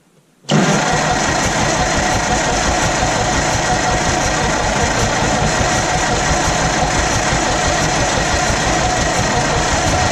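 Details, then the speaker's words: Old Massey Harris petrol tractor, sat 4–5 years, after distributor work: it catches at once and settles into a steady, even run with no knocks or misses. First start in years, normal running. "oh yeah so i don't know what i need to give a spark but i don't care and there it goes see if it'll move"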